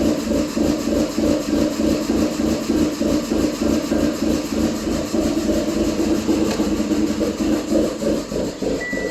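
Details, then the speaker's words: 2006/2007 Subaru Impreza 2.5i warmed up: uneven lumpy idle pulsing about three times a second; advance valves go wide open after warm-up, pulling them smooths it; cause of excess idle advance unknown; rough idle. "As you can see, those valves for the Advance go wide open after she warms up. If you pull them, smooths out."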